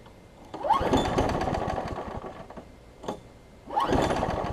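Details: Craftsman 6 hp big-wheel front-drive self-propelled mower after a new pull rope and priming: catches in short rough bursts, fades, then surges, never settling; it seems to run rich, suspected carburetor, spark plug or flywheel key.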